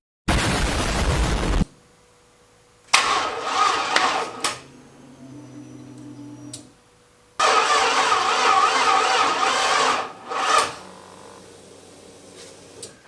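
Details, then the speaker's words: LS-swapped 4x4 van, first start on bench wiring with fuel pump primed, powered by a small jump box: two short sluggish laboured cranking bursts, no catch; slow cranking from insufficient battery power, later starts with added battery. "so she's trying to crank but uh I don't think our little jump box here has quite enough punch to to get it going so I'm going to go steal the battery out of my daily driver and throw it in here see if it'll start"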